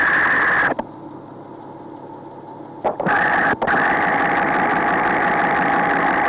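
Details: Porsche flat-six (986/987/996/997) at idle, listening at the bank 2 cam cover: a sharp tick repeating about four times a second over a steady idle, the sound believed to indicate scored cylinder bores rather than a lifter.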